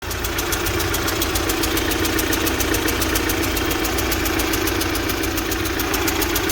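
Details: UMZ-4216 Evotech 2.7 Euro 4, 129,000 km, cylinder 1 misfiring with check light: rough idle with light regular tapping about three to four per second; owner suspects cylinder 1 intake valve seat, backfiring. Valve seat knock.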